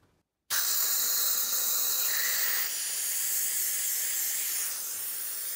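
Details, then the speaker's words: Catch can one-way check valve (3/8 in hose) under constant airflow, fitted forward; steady even hiss with no chatter, flowing freely with about 2 psi back pressure. "and there you can see we're at 2 psi so it's providing a little bit of back pressure, not a lot, but it is providing back pressure so we got 2 psi"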